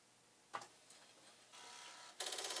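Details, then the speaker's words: Commodore 1541 floppy drive after read/write head cleaning, running a test disk: faint motor whir with crisp, evenly paced head-stepping clicks keeping a strong beat. Drive works properly; a dirty head appears to have been the fault. "it sounds strong on the beat so that is not bad mostly of course"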